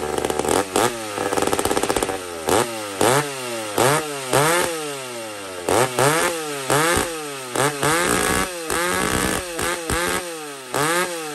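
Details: McCulloch 850 chainsaw with a heavily worked ported cylinder: crisp two-stroke snarl rising and falling in quick blips, then holding clean at high rpm with a little more left; strong, healthy saw.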